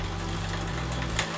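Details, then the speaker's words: Road bike rear derailleur, one click of the shift lever: chain chatters and ticks against the next sprocket while pedalling but won't climb. Too much slack in the shift cable; fix is adding tension with the barrel adjuster. "got one click and it's trying, you can hear it, but it's not quite going far enough. It means that that shift lever hasn't pulled enough cable because there's too much slack."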